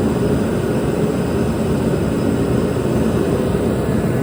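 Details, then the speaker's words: Dynaglo Pro 75,000 BTU kerosene torpedo heater RMC-KFA75TDGP, which had sputtered and would not stay lit, running after its cracked fuel and air lines were replaced: an even, steady roar with no sputter or dropouts, and the burner stays lit. "We're gonna give it a go, fire it up and see if just that cracked fuel line and cracked air line were the issue with this machine."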